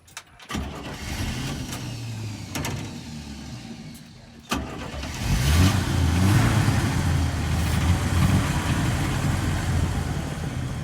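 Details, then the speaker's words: 1965 Chevy C10, long stored in barns and low on fuel: a few bursts of cranking, then it catches into a lumpy, uneven idle that shakes and hunts; it idles rough. "Okay. Good. It'll idle. Yeah, I just don't like how bad it idles, though. It makes me scared."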